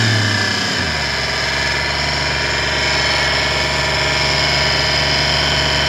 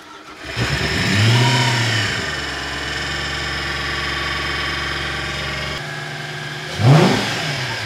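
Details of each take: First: 1998 Porsche Boxster with Audi V8 swap, timing belt covers removed: steady idle with constant high whine and hum, not a knock; traced to the power steering pump, nothing bad found at the timing belt. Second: V8-swapped Porsche 986 Boxster track car, first test start after reassembly, with temperatures rising gradually: quick start, short flare in revs, then settles to a smooth, even idle with one clean blip; normal start and idle.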